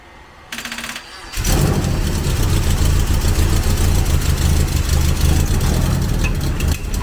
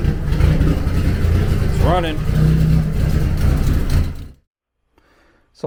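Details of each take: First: 1991 Eagle Talon TSI, built 4G63 with HKS 272 cams and a Precision turbo, first start after sitting 5+ years with E85: catches after a few cranks into a rough, chuffing idle; exhaust leak because the downpipe is loose from the turbo. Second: 1991 Eagle Talon TSI, built 4G63 with HKS 272 cams and a Precision turbo, first start after 5+ years sitting. E85 drained, injectors cleaned, new fuel pump, wiring fixed. The engine catches and runs a steady low drone for seconds before shutting off; healthy.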